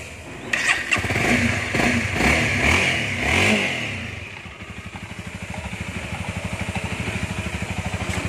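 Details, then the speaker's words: 2019 Honda Rebel 300 fuel-injected motorcycle, original and about one year old, started and blipped: revs up and down cleanly, then settles to an even putter of two to three beats a second; normal engine revving. "Để mình test cái máy lên cho anh em nghe luôn chứ, nó hậu quên."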